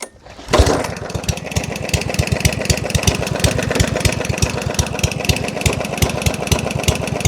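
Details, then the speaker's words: Yardman 139cc OHV mower, started on gas sprayed down intake with choke, no startability: very slow, irregular loping fuel-heavy chug, slowest idle yet; owners fear it's blown up; rough slow idle. "She's so so slow. I don't know how she's saying right now. What the freak? This is the slowest it's ran. >> That's the slowest idle."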